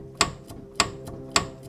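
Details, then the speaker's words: Mercedes SLK32 AMG (R170), front wheel rocked by hand: sharp clacks roughly every half second as the steering link arm slaps through a blown bushing; owner 99% sure the steering link is the issue, maybe tie rod ends too. "So I'm like 99% sure that is my issue because I should not be able to, one arm, rock that around that much."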